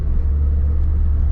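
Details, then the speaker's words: Lada 4x4 Niva driven over rough ground after the seat mounts were lubricated with Litol to cure a squeak: deep steady road rumble, no squeak or creak from the seat. "вот она дорога с . совсем не скрипит соединить не знаю сколько продержится это дело конечно но эксперимент я считаю удался"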